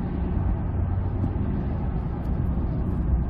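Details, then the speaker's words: 2005 Ford F-150, 9.75 rear axle, about 116,000 miles, after differential bearing repair: smooth, even road rumble only, no whine or growl when accelerating or coasting, just knobby tire noise; normal rear axle. "let's listen nothing both accelerating and coasting that's awesome just entire noise got big knobby tires on here that's it"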